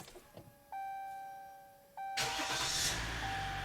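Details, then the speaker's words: 2018 Dodge Ram Laramie 3.0 L diesel, after restoring the TCM power supply (code U0101, power loss): dash chimes, then starter catches and engine fires straight into a steady run; clean normal start. "so right there okay so engine is running let's bring up our scan tool"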